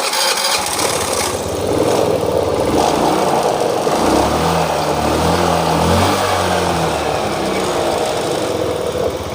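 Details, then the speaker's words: Honda Beat/Vario scooter after valve clearance repair for white smoke and oil consumption, compression restored: hand-started, fires up, blips, settles to even steady idle without dying; no more smoke. "Dan motornya juga di sini teman-teman sudah bisa langsam. Ini sudah tidak mati ya, dan kompresinya sudah normal, jadi motornya ini sudah normal kembali, dan juga sudah tidak berasap ya, sudah tidak ada asap di sini."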